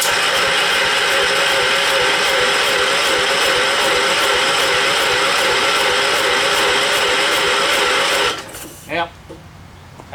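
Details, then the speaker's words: John Deere 212 garden tractor, likely 12 hp Kohler, battery just charged: fast, even cranking about three strokes a second for eight seconds without catching; seems to have compression, smoke puffing, owner suspects possible blown head gasket; cranks, no start. "And it sounds like it's got enough compression to run, but"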